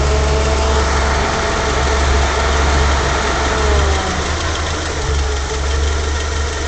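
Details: Fiat Coupe with naturally aspirated 16v Lampredi petrol engine at idle on bad, old oil: steady idle with busy, clattery top-end chatter over low hum; cause not confirmed.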